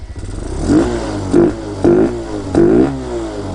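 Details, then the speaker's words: Hellcat 125 (TaoTao Grom clone) with 26mm Nibbi carb after stepping up to a 120 main jet: quick throttle blips climb sharply and drop to idle with no bog, better than the lean 115; carb possibly oversized, exhaust possibly restrictive. "no bog in there it's better"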